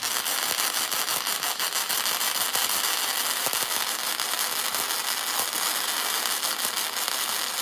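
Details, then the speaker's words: Beginner's first-ever flux-core MIG weld, .030 wire, wire speed 250, 18 volts, inductance about 7.5, cracked contact tip: loud, irregular crackling and popping arc with uneven bursts, hard to hold steady; weld ugly, cause unconfirmed. "Huh. Well, that's ugly. That is hard. Harder than it looks. It's hard to hold steady."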